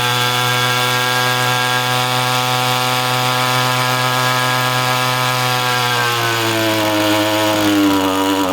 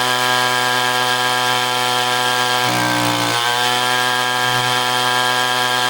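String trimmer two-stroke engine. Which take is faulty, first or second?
first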